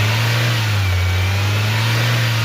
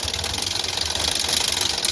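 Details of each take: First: Maruti Suzuki Ertiga petrol, towed in with engine noise, poor pickup, stalling off-throttle and no start without throttle; after repair, jump-started from another battery, strong even revving with no earlier rattle or stalling, no check-engine light. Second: Maruti Suzuki Ertiga petrol, towed in with pickup issue, stalling when accelerator released, no start without throttle, check engine light on; at idle heavy vibration, harsh fast rattling chatter and misfiring; engine timing fault needing correction.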